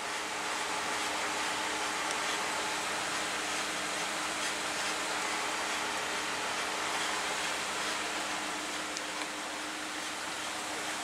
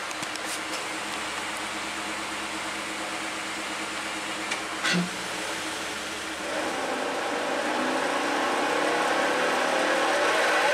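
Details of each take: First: 2017 Ford F-150, 5.0 V8, 6-speed automatic, 8.8 rear differential, after rear-end rebuild for a whine noticed while towing: steady road and tyre roar at cruise, no gear whine rising with speed; rear end quiet and healthy. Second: 2017 Ford F-150 5.0 V8, 6-speed automatic, 8.8 rear differential, first noticed while towing a camper: wavering whine rising and falling with road speed over tyre noise; failed pinion bearing race, suspected casting flaw.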